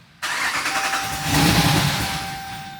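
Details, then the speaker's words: 2019 Ram 5.7 no-start after battery charging: engine catches and flares up, then sags and dies within three seconds; start and stall. "So it starts up and dies out."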